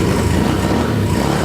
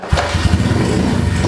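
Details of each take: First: Freshly built big-bore KLX143 pit bike with a VM26 carb and new 10W40 oil, on its first start: the single-cylinder holds a fast, steady idle and revs hard once the choke is off, with the idle screw cranked up. High idle. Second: Kawasaki KLX143 big-bore pit bike first start after rebuild, cold on choke, after shifting into neutral (it won't start in gear): single cylinder fires straight away and settles into a quick, even thumping beat with a beady rumble; starts cleanly.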